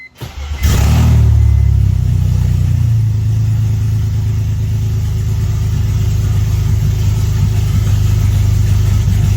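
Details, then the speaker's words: BMW 330ci with open headers and no cats, after the transmission was pulled and the flywheel bolts were found to cause the knock: a loud, deep rumble with a brief rev, running evenly with no knock or rattle. "uh so yeah I don't hear it rattling around it was definitely the flywheel bolts so seems like that uh the trans is actually okay"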